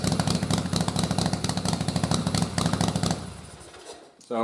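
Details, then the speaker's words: Twin-cylinder engine converted from dual carbs to single carb on an unequal-runner aluminum manifold, stock 122 main and 41 pilot jets: uneven, lumpy beat sags and fades when revved; rear cylinder reads 22 AFR, so lean it stops firing. "so as you can see from the air fuel when I tried to rev it up that back cylinder went so lean it just stopped running and you saw 22 so it wasn't even firing"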